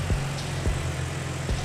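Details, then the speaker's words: Dodge Charger/Challenger after repairs including an evap leak, jump-started: steady low, even, quiet idle with no knocks or ticks; normal idle. "let's get this thing fired up gotta boost it up and let you out hear our room i hear that how quiet that is"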